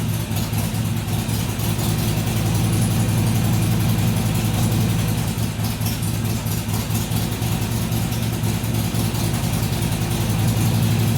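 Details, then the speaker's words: Harley-Davidson XR1200 V-twin on a cold start after throttle body work, with idle settings reset to stock: it over-revs less, but the idle still hunts between about 1000 and 1500 RPM; the cause is unknown. "better but not a complete success it didn't over rev near as high when it started so the throttle was definitely leaking but it's still you heard it would it would settle down to about a thousand RPM then it would go up to 1500 drop back down and go up drop back down"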